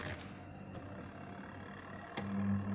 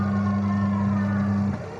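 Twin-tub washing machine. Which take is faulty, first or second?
first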